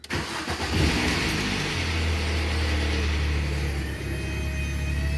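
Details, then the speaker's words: Mini at idle: engine settles while a thin, steady whine rises as the steering wheel turns; normal power steering pump whine on these Minis. "et là vous entendez quand je tourne le volant exactement le même sifflement c'est d'origine sur toutes les mini c'est comme ça il y a pas à s'inquiéter"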